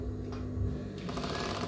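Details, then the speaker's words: Sewing machine with dirt packed under the feed dog and needle plate: uneven scraping rub each stitch cycle as the wobbling feed dog strikes the rotary hook and plate. "Benda itu bergoyang; Sepertinya benda itu mengenai sesuatu. Jadi gigi-gigi tersebut mengenai bagian ini."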